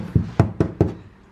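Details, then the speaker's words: Infiniti G35 rear panel tapped: four dull, flat thuds with no metallic ring, sounding ceramic; the panel is thick with Bondo body filler. "we got Bondo all over this back [ __ ] panel right here listen to it that's supposed to be metal bro that [ __ ] sounds ceramic as hell"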